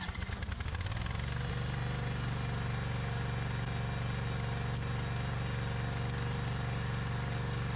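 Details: Husqvarna iZ5223 zero-turn mower, Kohler CV23S engine, after no-start repair; PTO clutch engaged with deck belt off: engine picks up, then steady even idle hum without slipping or grinding; PTO clutch engages normally.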